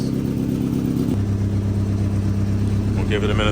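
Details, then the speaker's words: Exhaust leak at the front joint of a newly built homemade 3-inch oval exhaust, felt by hand, at first start before warm-up: deep boomy idle with coarse low rumble and truck-like drone. "There's definitely an exhaust leak up here. Yeah, I can feel it. So we'll have to fix that."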